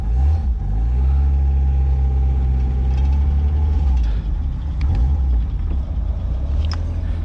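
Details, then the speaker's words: $100 Mazda Miata being revived after sitting as a non-runner: steady, even low engine drone with no lifter tick, knocks or ticks; runs smooth and healthy. "it doesn't sound bad does it really not oh you [ __ ] me dude sick"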